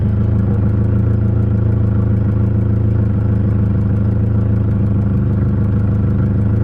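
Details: Nissan 240SX KA engine being checked for hesitation and bogging when cruising in third/fourth gear: smooth, even idle, steady low rumble with no misses, knocks or hunting; normal idle.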